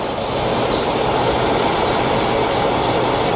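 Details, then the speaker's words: 3.6 L engine idling higher than normal with code P0507: steady airy hiss that changes when hoses are moved, traced to the PCV valve hose; vacuum leak. "When I move these hoses, the noise change right there. Uh-oh. That's it. All right, ladies and gentlemen. That is why this 3.6 6 L is idling higher than normal. I have a vacuum leak right there at the PCV valve hose."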